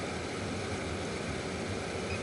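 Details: 1996 Lexus ES300, automatic HVAC whose blower was missing its intermediate speeds. Blower run at a middle speed while the control and monitoring wires are checked gives an even rush of air with no rattle, squeal or scrape, so the blower sounds healthy.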